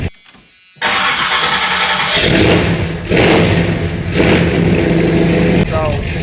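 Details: 1986 Chevy Suburban C20 2500 454 big-block V8 with a newly installed high-torque mini starter: short, even crank catches almost at once and settles into a steady idle. The starter sounds smooth, a normal crank and start.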